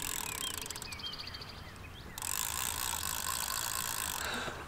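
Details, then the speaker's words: Restored 1960s Mitchell 304 spinning reel, respooled, cranked with the anti-reverse engaged. Quick, light clicking at about four per second is the anti-reverse pawl working normally. "So now this is with the anti-reverse. You hear the click, click, click, right? I can turn that off and it's muc"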